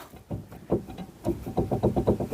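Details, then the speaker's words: Skoda Estelle 120, front wheel raised and rocked by hand before brake and kingpin service: quick bursts of dull clunks, about five in half a second, showing front wheel play; owner suspects wheel bearing or kingpin, both adjustable. "You can probably hear it more than see it, but there's a bit of playing something there. And there too. That'll probably be a wheel bearing or a kingpin, but they're adjustable."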